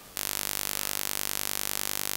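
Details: Canon EOS R6: harsh steady rapidly pulsing buzz in the mic recording, caused by the USB-C power cable plugged in while an external mic is connected.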